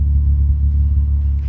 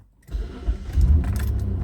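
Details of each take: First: 2003 Mitsubishi Magna VRX (TL, 163 kW) with a new custom in-house sports exhaust replacing the rusted factory 2.5-inch system, heard from outside on its first hot run: deep, even low rumble from the tailpipes, no rasp or ticking; healthy exhaust. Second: Mitsubishi VRX (Magna), 271,672 km, recorded inside the car with the window up: the engine settles into a deep, farty, flatulent rumble that swells on the rev. The worn original exhaust is rusted through with holes and leaking.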